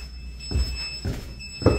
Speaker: can y'all hear that beeping that is the stmp pumps because the power keeps going out and they are operated by electricity